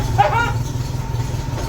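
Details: MGB, first start after rewiring the ignition: low, steady engine rumble with a brief sharp blip at the start as it catches and runs on its own; owner remarks it sounds weird; normal running.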